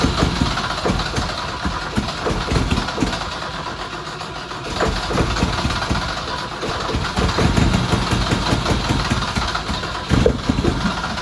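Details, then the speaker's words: 1979 Alfa Romeo GTV with spark, catching briefly but fuel-starved, since the injection pump belt is not yet fitted so little fuel reaches the four ports; ragged, uneven firing that stumbles and never settles. "so it's it's trying to start it's very difficult to get the uh enough fuel in the four boards to really get it running"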